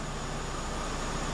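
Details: Peugeot 207 air conditioning whose compressor had been condemned: steady, smooth hum with a constant low drone and no squeal, rattle or cycling while cabin temperature falls from 29° to 6°; normal AC operation.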